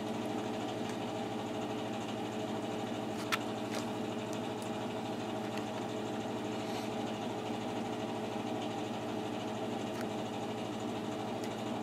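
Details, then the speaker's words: Exhaust draft blower just switching on during the season's first start of a newer, side-vented boiler only a few years old: steady even hum with a constant low tone and a faint higher whine, no rattles or surging; normal draft blower operation. "And the draft blower just turned on for the exhaust."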